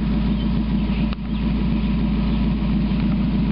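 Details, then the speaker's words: 1991 Mazda Miata idling with the catalytic converter removed. Steady idle with a deep, throaty exhaust rumble and no misfire; the tone is deeper than the other Miata's gutted converter. "But you remove all that back pressure from that catalytic converter and it's bound to help a little bit. little bit of a deeper, throatier sound than I remember the other one having."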